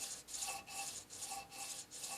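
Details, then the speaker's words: Mahogany crotch veneer, hammer-veneered onto a drawer front half an hour earlier, microphone very close: quick fingernail scratching across it, pitch changing with a faint ringing note over a spot not fully bonded. "you can detect a change in pitch from areas that are fully adhere to those areas that aren't and you'll hear that difference right here in this area as I take my fingernails back and forth"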